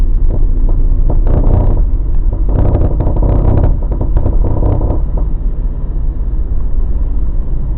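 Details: Mazda BT50 pickup driving, before the fix, after a shop replaced 2 of 3 drive shaft cross joints and the center bearing: bursts of clunks and gritty grinding come and go over road rumble; cause was a worn upper ball joint and low differential oil.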